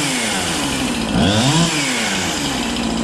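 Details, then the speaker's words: Husqvarna 365 chainsaw with a new piston and cylinder, reported low compression: screaming no-load buzz held wide open with slight burbling unevenness; a rich four-stroke tune that sounds healthy. "it actually is tuned to ever tuned it or whatever it actually sounds pretty good I'm enough where I wouldn't want to with it"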